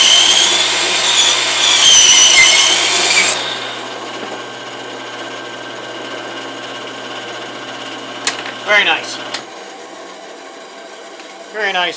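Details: Saw cutting a tree branch for a pen blank: high, harsh squeal rises over the cut for about three seconds, then fades to a hum. Blade binding squeal as the wood's internal stresses pinch the blade.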